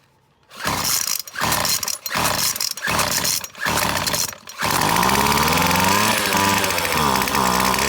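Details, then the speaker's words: McCulloch T55 CLS line trimmer with spark confirmed, fuel poured straight into cylinder: fires in ragged bursts about once a second, holds high revs but never settles to idle; owner suspects a blocked carburettor jet. "so clearly the problem is it just doesn't want to idle so I'm gonna guess there's a jet blocked in the carburetor or something similar"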